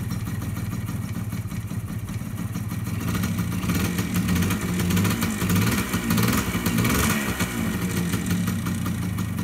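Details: Yamaha DT100 two-stroke vintage enduro after sitting, with fresh gas, new oil and a new fuel line. Warming up with an uneven popping idle that smooths with small throttle blips while the stuck clutch frees; normal idle.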